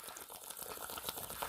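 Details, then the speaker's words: Hot water tank being drained during heating element replacement: soft irregular gurgling and bubbling as air sucks in through the open element port; normal. "but you can hear the air sucking in through that hole anyway"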